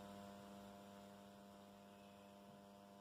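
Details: Condor RM820S radio-cassette recorder just brought back to life, first power-on after reassembly: steady low mains hum at one pitch; LED lighting switched off changed it, but some hum remains, source not yet traced.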